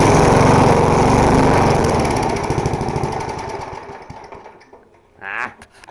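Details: Small lawn mower engine, about 3.5 hp (owner thinks a pump set type), rotten deck, primed and started: even single-cylinder thumping about four beats a second, then smooth coast-down to a stop; takes a while to start but runs normally.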